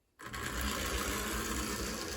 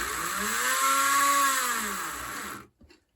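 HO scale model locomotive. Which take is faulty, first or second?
second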